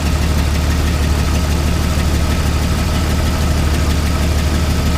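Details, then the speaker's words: Jeep Wrangler 4.0 at idle with a dead miss: loud, uneven, lumpy idle that never settles; unplugging cylinder 3 made no difference, so number 3 is dead and number 4 misfires on and off. "No difference at all. So we got number 3 cylinders misfiring."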